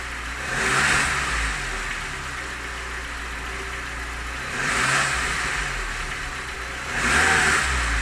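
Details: Lada Niva engine knock: three rev blips over a rough idle with a faint tapping rising with revs; the owner asks what it is, cause not confirmed.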